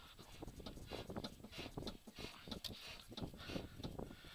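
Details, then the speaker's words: Suzuki with a newly replaced driver-side control arm, body pushed down and released: irregular hollow clunks on that side, not present before; cause unknown, owner wonders about a broken transmission mount; suspension clunk under compression. "so I can hear that clunking and it definitely is coming from this side so I'm not sure exactly where it's coming from but that's definitely not good"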